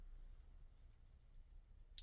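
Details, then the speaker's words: Kizer October Ti folding knife gives about ten light, sharp clicks in two seconds as it is moved, from a standoff with no screw on either side rattling loose in its milled pockets. "I don't know if you can hear that that noise that kind of clicking noise but this particular standoff here does not have a screw on either side so it's simply sitting in in the uh in the pockets that are milled out"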